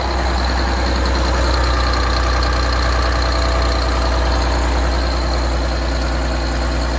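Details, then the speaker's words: Detroit 6V92 two-stroke diesel in an MCI bus conversion, warm, after exhaust manifold gasket replacement: loud, steady drone with deep, even firing and no sharp ticking; the exhaust leak noise should be gone. "i'll play the old sound now and then let's compare it to the new sound the way it is that noise should be gone"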